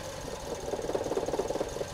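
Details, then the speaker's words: Engine idle turns lumpy with quick stumbling pulses about nine per second: misfire caused by the injector being grounded through the PicoScope 2204A channel B test lead's common ground. "see that can you hear the engine misfire in not good so basically what's happening there is that we've got that ground side connected all the way up to here and basically we're grounding that injector through channel b"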